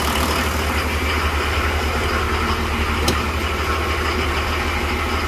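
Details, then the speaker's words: 1984 Nissan Patrol SD33 diesel, idle after starting following months of sitting: a steady, low, even diesel chug with no knocks or misses. The engine runs well, with only a minor leak. "And then the Patrol, this one runs, I think, really good."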